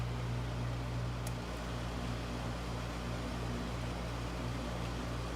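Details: Window air conditioner, first startup of season, fan on high and cooling: smooth constant air rush over low steady hum, no rubbing or rattling; normal fan operation on high.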